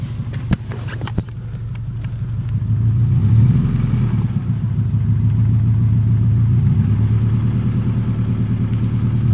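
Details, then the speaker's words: 1996 Subaru Legacy Outback 2.5L with a worsening exhaust leak, just started: loud, raspy low rumble that swells with two light revs. "there's a exhaust leak it's getting worse just came out and started it and it sounded like this lovely isn't it"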